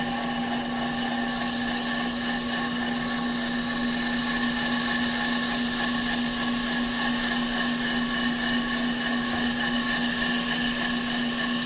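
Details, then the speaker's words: Off-the-car brake lathe finish cut on a hubless brake rotor, rotor feed on, chip deflector/silencer fitted, a couple thousandths cut: constant mid-pitched hum with a high hiss, no chatter or squeal; normal clean rotor cutting. "We turn the switch back on to rotor feed. We tighten down the nut and away she goes."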